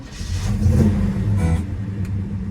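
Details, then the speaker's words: 1970 Chevrolet Chevelle Malibu, 307 V8 rebuilt under 5,000 miles ago, 103,517 miles, TH350 automatic, newer dual exhaust. After two throttle pumps it catches promptly into an even rumble with a clean rev: healthy start. "Very nice. Very nice. Okay. Let's listen to the exhaust. Let's check out the engine. Sounds excellent."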